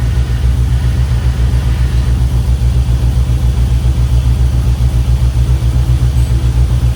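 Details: 1967 Chevy C10 with LS swap, plugged injectors from dirty fuel, after forgotten injector plugs on one bank were reconnected: deep, even V8 idle with a steady low pulse and no misses; all eight cylinders firing instead of four.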